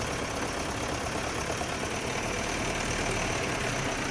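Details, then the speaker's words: BMW E30 M10 engine, still misfiring after valve clearance check found good; fuel normal. Uneven shaky idle with irregular stumbles, won't rev up. Misfire, rough running. "Kanan bensin normalik gasnya ini berebut nih. Oh, getar sekali ini. Gak mau naik lagi."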